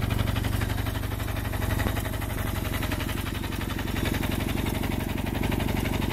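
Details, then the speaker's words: 1974 Kawasaki KZ400D1 twin, recently serviced: new battery, rebuilt carburetors and fuel hoses, new points and condenser, valves adjusted; no smoke or leaks: even, quick idle pulse holding its rate without misses or knocks; healthy normal idle. "it runs rides and shifts very smoothly through all of the gears just check out this piece of History it's lovely let's go ahead and fire it up and see how it sounds"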